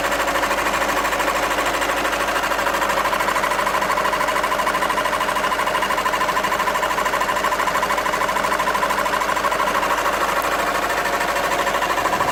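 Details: VW 2.0 TDI diesel, engine code CFHD: steady fairly even clatter about three ticks per second, heard sporadically, sounding like a tractor; cause unclear.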